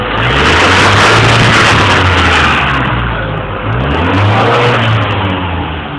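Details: Ford Mondeo engine rising from idle into revs with a rough, stumbling note that never smooths out; misfiring.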